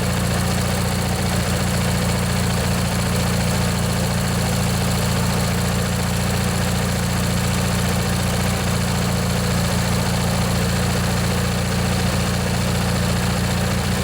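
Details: Montgomery Ward (MTD) riding mower, 16 hp Briggs & Stratton flathead opposed twin, after worn starter motor replacement, first run in one to two years. Smooth, steady idle with an even low beat and no knocks or misses; normal idle.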